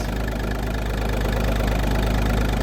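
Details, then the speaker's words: Audi A2 TDI diesel started after refurbishing its Bosch starter motor, which previously screeched on cranking: even clatter settles to steady idle with no screech or squeal as the starter drops out; healthy, normal diesel idle. "hopefully we won't hear a screeching noise no squeaking noise we're fixed"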